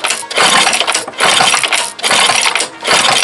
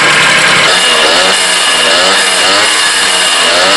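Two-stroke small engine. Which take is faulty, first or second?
first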